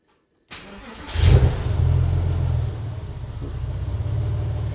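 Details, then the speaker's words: Porsche 996 C2, new EVAP charcoal canister, restarted hot after a 15–20 minute drive on a hot day and 5 minutes' rest; quick crank catches cleanly, flares, then slightly low wandering idle; normal hot start, no trouble. "Bit of low idle on the startup, which is normal. So there's nothing there's nothing bad there."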